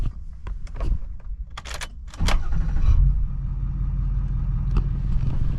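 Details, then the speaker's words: Ford 6.4 Powerstroke diesel with new DFC long block, EGR and cooler delete and new up pipes: after cab clicks it fires almost at once and settles into a steady, even idle with zero blow-by. "Just like that, like zero issue. Starts right up, sounds great, 0 blow by."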